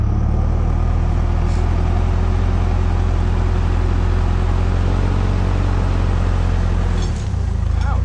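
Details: 1951 Oldsmobile 88 303 V8 parts car, running warm after compression test (a reading rose 110 to 170 psi warm): deep, even V8 beat, steady low rumble, no knocks or misses; healthy.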